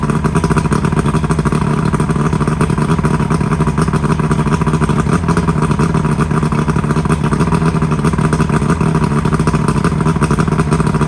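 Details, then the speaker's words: Johnson V4 120 outboard, 1995 or 1996, running again after a new power pack fixed a no-spark issue. Even, steady buzzing run with a fast, regular beat and no misses. It is smoking a lot, possibly from not being run in a while. Normal running. "all right so there you have it uh it's running again so we got that um solved"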